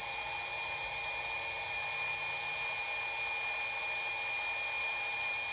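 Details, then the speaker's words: AmpFlow A28-400-F48 fan-cooled 48 V motor, first bench test clamped down on two 8S lithium packs, about 53 V and 4.3 A, no load, estimated over 6,000 rpm: steady clean high-pitched whine; normal no-load running. "alright got four point three amps 53 volts I cannot tell what it's spinning at various over 6,000 rpm"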